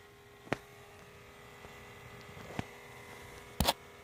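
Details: 2017 Honda CR-V Touring 1.5L turbo parked over 4 hours, engine off: faint steady electrical hum with a few handling clicks; recurring, shut off by itself; cause unknown.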